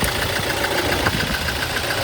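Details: 2018 Toyota Hilux diesel idling with a clattery, slightly uneven rhythm; code P0301, cylinder 1 misfire, traced to the number one injector, which was tested and serviced.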